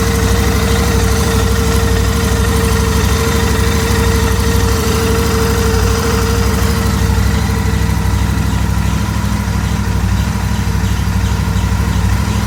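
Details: Royal Enfield Interceptor 650 twin at idle: steady, fairly high howl over the low exhaust thump, tone holding even; abnormal engine howling, cause unknown.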